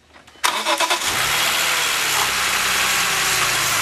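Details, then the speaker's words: BMW E46 M3 S54 inline-six after ignition coil replacement for a cylinder misfire: brief crank catches at once and settles into an even, smooth idle with no miss. "Now you're going to notice that we don't have any miss anymore. The car is really smoothed out."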